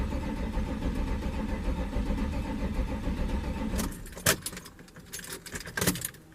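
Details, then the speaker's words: 1993 Chevrolet C1500 Silverado with swapped Corvette LT1 engine, first start attempt after cycling key for fuel pressure, fuel pump heard running; even low starter churning about four seconds, no firing; cranks but won't start. "didn't work let's see okay something's not happy I'm going have to go take a look"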